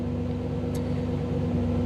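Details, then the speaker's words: 1985 Camaro IROC-Z TPI, new engine build, with an Actron CP9690 OBD-I scan tool plugged in: fast raised idle that won't come down and a hard-edged exhaust note; timing advanced enough to cause random misfire, and it calms when the tool is unplugged. "I couldn't get the idle down it kept running fast like this and if you go back and listen to the exhaust uh the the timing is also increased and the timing is high enough that you start getting some uh random misfire in"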